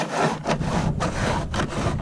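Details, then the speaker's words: Jackson Bite FD pedal kayak, about a year old: dry scraping rub about every half second with each steering movement, where the top plastic of the rudder steering mechanism rubs the top of the fiberglass rod; owner plans to remove, smooth and clean the track. "But you can see that this top plastic here is rubbing the top of this fiberglass rod."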